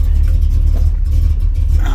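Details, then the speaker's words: 1979 Pontiac Grand Prix V8 with an aftermarket cam, started with carb cleaner squirted in: a deep, lumpy idle with uneven heavy thumps, the big-overlap cam lope of an engine otherwise running fine. "she's a runner definitely got a cabinet you can hear that overlap I like it I like it a lot"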